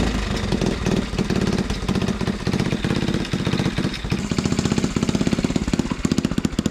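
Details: 1980 Honda CT70 minibike, first start attempt after replacing the fouled spark plug, hot-wired off the magneto: small single fires and settles into steady even putter with crisp regular firing pulses; engine runs.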